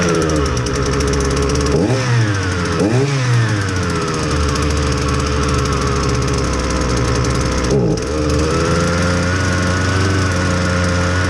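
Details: Husqvarna 326LD string trimmer, low on power, test run on clean fresh fuel before repair: a flat, weak drone with sluggish revs that sag back on each throttle blip, fuel metering trouble from a stiff carburetor metering diaphragm.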